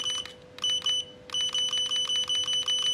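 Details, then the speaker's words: Godox V850 speedlite after repair, test firing at low power up to 1/4: high steady charging whine with clean repeating pulses, no stutter; normal charging and firing. "Mantap ya teman-teman ya mantap reload-nya mantap tembakannya mantap ini kita tes di power sepatu teman-teman"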